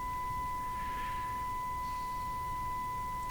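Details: Philco Model 42-322 tube radio, works on the broadcast band but shortwave is very weak: a steady test tone stays faint above the hiss when it should pull in much weaker signals. IF alignment under investigation; cause not confirmed.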